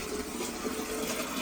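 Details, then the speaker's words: Toilet cistern refilling after the fill valve float was adjusted to move freely and the water was turned back on. A steady hiss and rush of water with no hammering or squeal, and the valve shuts off. The cistern refills normally. "There we go, it's filling up. We can just quickly test, see if it stops, which it does."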